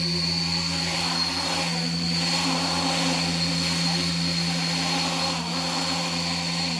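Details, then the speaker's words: 10-inch FPV drone, freshly lacquered, new cheap propellers, flying in snow and frost: steady high motor whine with rough wavering buzz surging unevenly; motors oscillating, attributed to untuned PIDs rather than a mismatched propeller. "Але, як покаже практика, дивний звук через те, що не налаштовані піди."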